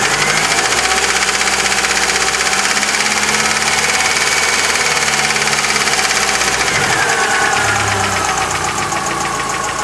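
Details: Chery Amulet engine at idle: fast, fairly uneven ticking about two per second. Mechanic suspects a hydraulic lifter; the knock was later cured elsewhere with new lifters squeezed out before installation.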